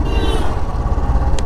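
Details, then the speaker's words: Royal Enfield motorcycle that also had starting and stalling troubles and a relay replaced: uneven single-cylinder exhaust thump with dropped and bunched beats; misfiring, which the owner blames on the fuel injection. "আজকে মানে যদি এই যে এই যে এই missing missing এটা FI এর প্রবলেম"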